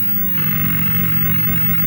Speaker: a louder hissing noise from the speaker. No actual sound.